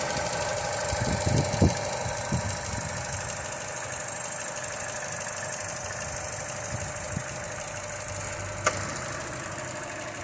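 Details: 2019 Vauxhall/Opel Mokka 1.4i turbo petrol, 38,878 miles, heard under the bonnet: even, quiet idle with a light steady tick and faint hum, no knocks or misses; engine ticking over nicely.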